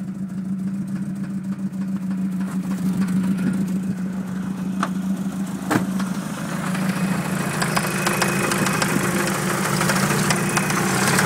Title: Dodge Neon Rod Knock